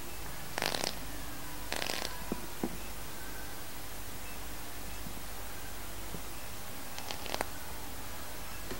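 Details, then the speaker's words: Fused clapton coil, space 50, 0.35 ohm, at 40 W then 42 W; only a few soft crackling bursts over faint hiss, weaker than space 40; coil needs more wattage. "suaranya agak agak lebih lembek dari no0 ee dari Space 40 tadi ya Ca kita kita naikin dua jadi 42 nih oh dia ternyata wat-nya kurang guys"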